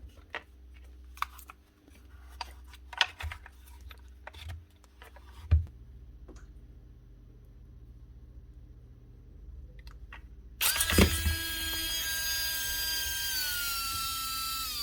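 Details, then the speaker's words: Makita DBO480 cordless sander (2024), dropped and stopped working, on battery: hesitant start, brief whir then sagging pitch, laboured same as on power supply; electronics fine, brushes apparently poorly seated in motor. "It runs the same thing as on the power supply. Difficult to start. You can hear it's labored, but it is working. So, we know this bunch of stuff is okay. It's just the motor that's the problem."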